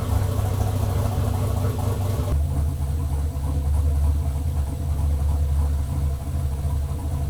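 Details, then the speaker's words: Chevelle LS turbo build first start on Holley Terminator X, closed loop, fuel pressure 60 psi, 31% fuel correction: deep uneven shaky idle, rough idle because the tune is unfinished. "all right closed loop it's pulling 31 of fuel pretty shaky it needs to be tuned further obviously"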